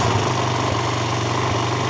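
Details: Old Honda 200 single-cylinder motorcycle engine after timing chain and tensor work (tensioner hadn't reached the chain): steady, even idle with smooth low thrum, no ticking or rattle from the top end; normal idle.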